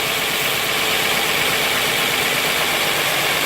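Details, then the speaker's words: 2009-2015 Nissan Maxima idling with code P0171: steady airy hiss from a small nick in the second small vacuum hose (white line) plugged into the intake manifold; covering it by hand drops the idle. Vacuum leak. "So anyway, there's a small little nick in that hose. So this little hose that's plugged up into the intake manifold here, I'm going to take my hand, and you're going to see my hand."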